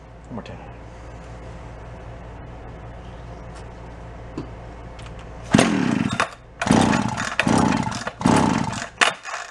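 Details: Free Echo CS-400 chainsaw, carburetor suspected, fuel line drawing fuel: low, uneven idle breaking into ragged surging revs rising and falling about once a second; saw running lean through a leaking crank seal.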